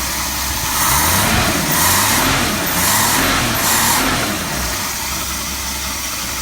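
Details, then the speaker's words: 1966 Ford Mustang, 200 straight six, after swapping in a good used Holley one-barrel carburetor; starts on the fuel pump, revs up and down smoothly, then settles back slowly as the idle sticks a little, shaft may need lubricating; normal running. "well well well that was easy feels like the idle's sticking a little bit I may need to lubricate the shaft"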